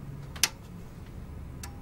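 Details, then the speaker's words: New PC build that won't boot: one sharp click a second after switch-on over a faint hum. This is the power supply's protection relay activating, which points to a fault on the PSU's PCB. "And that little click. Little ping. All right, so yeah, that was the relay. You can hear a relay activating in there."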